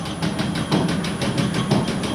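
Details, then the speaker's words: Industrial machine motor run through a VFD slowed to 30 Hz, no blade installed: rhythmic thump about six times a second over the motor hum as the misshapen drive belt slaps; belt knock. "we can go down to 30 if we want it really starts to show off our misshapen belt so you can see how slow it is"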